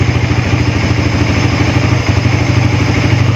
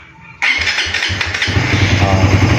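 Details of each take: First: Suzuki Raider FI 150 after an ECU reset: a steady, even single-cylinder putter with no misses, idling cleanly. If the idle gauge drops to about 3 after the reset, it can be adjusted at the idle screw. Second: Suzuki Raider FI 150 after an ECU reset, push-button start: the starter churns quickly for a second, then the engine catches and settles into an uneven, rising idle. Slow start, as expected after the reset.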